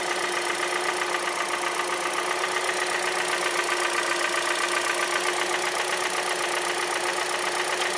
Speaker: This is a 2014 Hyundai Elantra with a 1.8 liter engine in it. And that tapping noise is called piston slap.